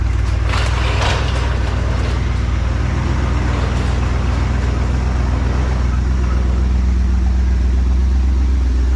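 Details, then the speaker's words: 1986 Trans Am, sitting 17 years, after carb, fuel tank, intake and fuel pump work; cold start, dwell between 30 and 35: steady, even low rumble with no misses or knocks, settling into a smooth idle while warming. "Just to bring it back on, you can hear how smooth it's running right now."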